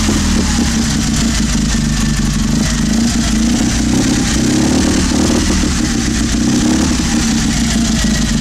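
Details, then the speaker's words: 650cc opposed twin barn-find engine on a single carburetor, old ignition (owner suspects mice ate wires) got running; even drone with steady low thrum and gentle rise on throttle, no knocks or misses, no oil smoke, healthy. "The sound is just beautiful. When I start it up, my heart skips a beat. That's for sure."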